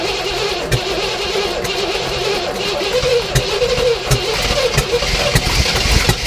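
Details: 1967 Oldsmobile Toronado project after new spark plugs, plug wires and oil change, fuel poured down the carb, throttle pumped: irregular pops and short bursts of firing over cranking, catching briefly then dying, smoke from muffler.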